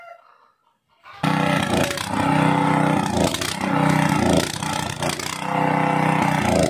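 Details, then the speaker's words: Gasoline water pump engine left unused a long time, before repair: it catches, then misfires, surging and sagging as if starved of fuel until it stalls; the carburetor was found very dirty. "so Tara let mga sir sa part na to mga sir ay pinaandar ko na yung makina tapos yung andar niya is palyado parang kinakapos sa gasolina hanggang sa mamatay na"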